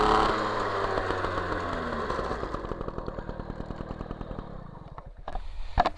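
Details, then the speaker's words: MBK 51 Magnum, stock engine, Dellorto PHBG 15 carburettor on its previous jetting: a blip, then uneven, lazy burbling and popping as revs fall. Mixture is too rich, especially at low revs; the W9 needle is to be changed to a W7. "pas assez réactifs ça pétarade de trop ça commence est trop riche"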